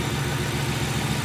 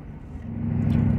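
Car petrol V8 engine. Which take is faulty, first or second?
first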